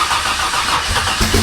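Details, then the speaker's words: Barra-swapped Ford Mustang GT350 at its first start: starter cranks, the engine catches for a moment with ragged firing, then drops out. ECU setting, a bad sensor or crank/cam trigger sync is suspected, unconfirmed. Fires briefly then dies. "Whoa! Whatever you did, it fired for a second. You tried."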